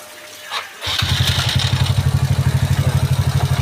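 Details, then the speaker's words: Yamaha Mio bored up to 155cc, stock stroke, 11.5 compression, modified TDR plug, freshly assembled: starts easily and settles into an even, steady single-cylinder thump; smooth normal idle. "Kondisi mesin halus ya."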